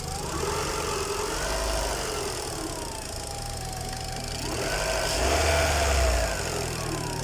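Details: Peugeot 206 1.6 petrol at steady idle: a mid-pitched howl/whine rising and falling with light ticking behind, noticed on the way to work; owner also notes noisy hydraulic tappets; a shop fixed it quickly without naming the cause.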